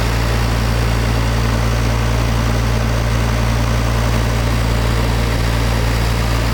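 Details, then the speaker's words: International Harvester TD-7 Series C bulldozer diesel after Bosch VA4 injection pump rebuild and bleeding; deep even rumble at steady idle, no misses or knocks; pump good, no leaks, runs normally. "the fuel pump is good there's no leak and the desert start fine and run fine"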